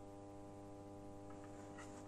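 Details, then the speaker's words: Genius 5.1 home theater satellite speaker at minimum volume: very loud steady low buzz with even overtones, same on all channels, pointing to a cracked capacitor solder joint. "now you can hear from the satellite it's a very very big noise the volume is at minimum but there is a problem with this annoying noise"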